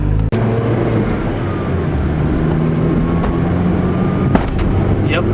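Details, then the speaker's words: Integra DA driven over bumps before a Skunk2 coil sleeve install. Steady road drone with sharp single knocks. The upper control arm, possibly a hard race part, is striking the shock tower, leaving a beat-up spot there. Suspension clunk. "you can hear it right there. Yeah, I just got the wheel off, and right away I can tell that it's the control arm hitting."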